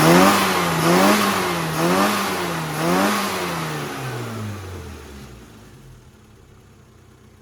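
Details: Modified road-racer Mini after carb tune (modified needle, 8-ohm coil, new vacuum unit, leads, plugs, thicker dashpot oil): revs rise and fall smoothly in three even blips then die away; crisp pickup, no misfire or spitting.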